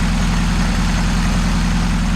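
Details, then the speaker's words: Saab Sonett III, after engine reinstall and reconnecting all plug wires, with the timing set right: smooth, deep, even idle with steady low hum, no misses or knocks; running properly. "smoking hell yeah after so long it runs finally and the timing set right"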